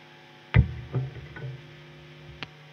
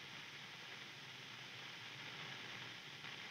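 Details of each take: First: Electric guitar rig in an old installation near a power plant: low steady hum under plucked notes, lingering between them; mains hum. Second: Overdriven guitar amplifier switched on, no playing: soft steady hiss with no hum or crackle; normal background noise for an overdriven amp.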